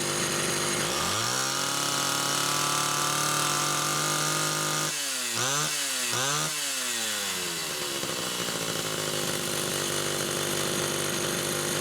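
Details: Chainsaw with Phelon electronic coil, used as a test unit for a repaired SDC carburetor (carb 1): a crisp two-stroke buzz climbs cleanly to a steady high whine, then drops and revs back up twice without stumbling. It runs healthy.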